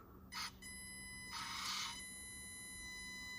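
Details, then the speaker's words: An RC crawler on a non-Furitek ESC gives a thin, steady high whine near 1 kHz at slow crawl; the whine is ESC-induced, and the Furitek Iguana Pro ESC crawls nearly silently. "hear that whine? Much better with the Furitek ESC."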